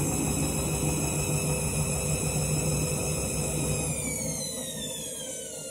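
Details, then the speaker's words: Washing machine on spin and drain after a reset from synthetics because it wasn't heating: steady motor whine with uneven drum thumping, pitch sagging as the spin falters, owner says it keeps locking; erratic surging spin, cause unconfirmed. "This is what you call a dodgy spin cycle. It's like it still starts locking and you can hear it."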